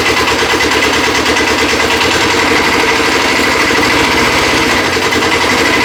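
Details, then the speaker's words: Custom Cub Cadet 72 tractor with a Kubota diesel, just started after glow plugging and warming up before moving: steady, even idle clatter at constant speed with no misses or knocks; healthy engine. "Turn it over. Let it start. We'll let it warm up for a little bit before we try moving it."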